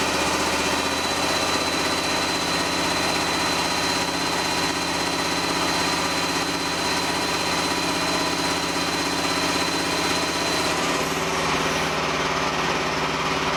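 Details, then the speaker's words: Small diesel feeding a repurposed hydraulic pump used as a motor for a mini-excavator mower, with no load on it: steady high drone whose note sags near the end. The motor restricts the oil flow and loads the engine. "Well, it definitely restricts the flow some. Even, you know, there's no load on it or nothing."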